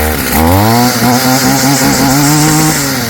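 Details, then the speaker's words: Stihl FS55 trimmer two-stroke, warm, after a Hipa carb kit fixed it: fires right up and climbs to a clean, steady high buzz without bogging or sputtering; normal running. "Carb kit from Hipa, fixed her right up. She runs good again."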